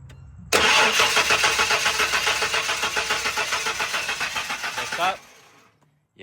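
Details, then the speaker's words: 1996 Ford F-150 inline-six, 2WD, no-start: even starter cranking at about three and a half turns a second for four seconds, never catches; a gauge on the Schrader valve shows no fuel pressure, and a dead fuel pump is suspected. "we got nothing. There's nothing even coming. I got in the straighter valve and everything should be open. The line, too."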